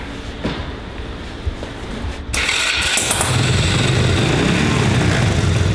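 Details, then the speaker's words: 125cc mini ATV just fitted with a new 70-150cc carburetor and a modified exhaust: catches and runs rough with a few sharp pops, seemingly backfiring through the carburetor; valve adjustment still pending, cause unconfirmed. "sounds like it's backfiring through the carburetor"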